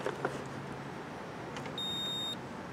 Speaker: get a beep so let's let's see if this fuse is good or not